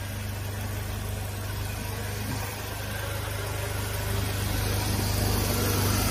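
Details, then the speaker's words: 2015 Mazda 3 with newly fitted A/C compressor, air blowing cold: smooth steady idle with no whine, rattle or clatter from the compressor, not noisy like the old one; normal A/C compressor operation. "المس صراحه امانه ما في صوت كبير يعني ليس مزعج نفس الكمبرسر القديم الكمبرسر القديم كان مزعج يعني تحس او تسمع صوته هذا الكمبرسر ما"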